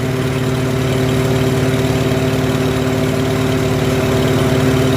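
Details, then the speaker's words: Farmall H tractor after pulling out a side wall that was causing the problem: even, steady beat about four pulses a second with constant hum, no knocks or misses; normal running. "as soon as I pulled that side wall out and straightened right out running beautifully"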